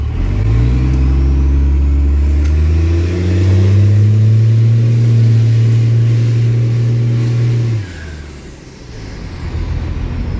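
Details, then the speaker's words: Dodge diesel truck ("Otis"), described as very healthy, accelerating under load: a smooth, even drone climbing steadily in pitch, then easing off cleanly when the throttle lifts. Healthy engine. "Like, Otis runs very, very, like, very well. It's a very healthy running engine."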